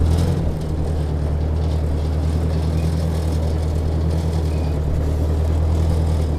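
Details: Ford Workmaster 641 (601 series) tractor after tune-up (carburetor rebuilt, timing adjusted, points, condenser, plugs), pulling uphill under load in second gear: deep, even, steady drone, no surging; runs smoothly.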